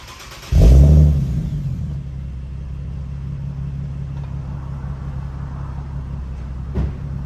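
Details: Infiniti G37 with high-flow cats, before fixing: sharp rev blip settling into a loud, raspy low idle from a leaking gasket between manifold and cat; leak later fixed with custom gaskets.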